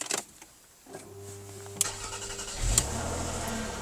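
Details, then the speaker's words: Car starting on the push button: a short crank catches within about a second and settles into a steady, even idle with no misfire or knocking. Starts cleanly, though the dash shows a bulb-failure warning. "So she starts on the button, it says there's a bulb failure somewhere along the line."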